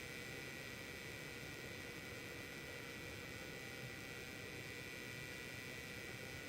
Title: Weird noise from Zotac 1080 AMP Edition